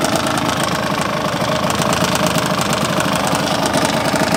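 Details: Yamaha DT125R two-stroke at idle: rattly, metallic knocking ticking fast and constant over the buzz; owner suspects piston slap, bearing or a bad crank, source unclear.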